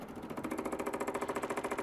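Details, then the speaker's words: 1986 Chevy K10 short bed pickup that sat for years, engine off: newly wired electric fuel pump ticking evenly at about eleven clicks a second, pushing fuel to the carburetor with no leaks seen; normal fuel pump ticking. "a little click clack pump and I hear it pushing in through the carburetor"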